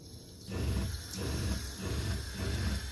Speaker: the reason it sounds like a machine gun right now is because the accumulator tank I don't think is dialed in